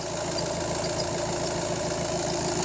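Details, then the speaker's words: VW Golf 7 2.0 TDI CLH (EA288) diesel at idle: even clatter with thin steady high squeal from factory-defective timing belt tensioner pulley; replacing it stops the squeal. "przyczyną tego piszczenia jest rolka napinająca pasek rozrządu. Jest to usterka i wada fabryczna tej rolki."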